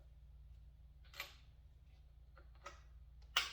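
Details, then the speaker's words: Honda XR80 being kicked over after cleaning a sooty spark plug; quiet room with a few sharp, irregular snaps; spark present, ignition working; owner reports it revs high when started. "okay we know we got spark let's see if we can't get it to pop just a little bit"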